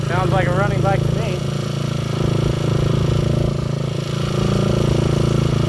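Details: Honda XL125 Scrambler kick-started with the rusted air cleaner removed, after months of not running; low, even single-cylinder thump at idle, firing steadily without misses; normal idle.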